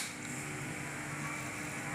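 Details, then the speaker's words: Maspion V163S electric fan that won't spin, on speed 2: low steady electrical hum with no blade whir; the motor is stalled and the shaft feels heavy. Suspected cause is a wrongly fitted bushing, with only one of two attached in the gearbox. "jadi dia berdengung tapi tidak mau berputar tidak mau berputar bahkan ini berat ya"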